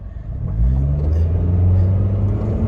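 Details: 2005 Toyota Matrix 4WD automatic, somewhat warmed up, accelerating: engine rumble builds then one clean drop in revs on an upshift with no flare, bang or slip; smooth normal shift.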